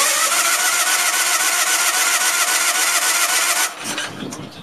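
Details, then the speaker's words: Case lawn tractor, 20 hp Onan, carburetor sat about two years, throttle wide open: even cranking near four beats a second that never catches, then stops; engine believed flooded after briefly running. "I actually think that it's flooded. That's what I think. Let it dry out for a minute."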